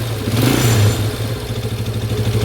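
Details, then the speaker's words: 1993 Yamaha Warrior ATV, unstarted since about 2011, rebuilt carb, choke now off and idle adjusted, revved via throttle cable at the carb: strong even note climbing and settling cleanly, no knocks or misses; healthy engine. "even believe how good this thing run since 1993 hasn't been started since like 2011 sometime ah that is a sweet sound"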